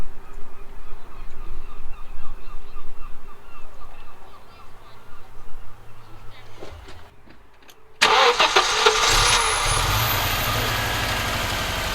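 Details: Audi 2.2 Bosch K-Jetronic, new old-stock Bosch injectors, mixture weakened one turn, cold start valve reconnected: cranks with uneven chuffing then catches into loud unsteady idle; owner plans removing metering unit to set sensor plate height.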